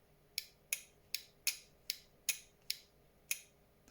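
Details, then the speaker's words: Relay from engine bay of 1989 Nissan Silvia S12 1.8 Turbo, bench tested with power on bottom two pins: eight sharp crisp even clicks, no chatter or buzz; healthy relay switching. "So if you just put your positive on, and then when you come to put your negative on, so it's these 2 that you're connecting, the bottom 2 here, nearest the clip, you'll hear it click."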